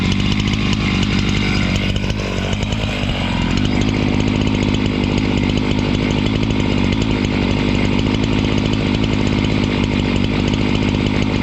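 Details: Husqvarna 268 two-stroke chainsaw, which stalled once warm and would not restart, cutting after air intake check: a strong, even high-revving buzz with no bogging or stalling. Normal running under cutting load.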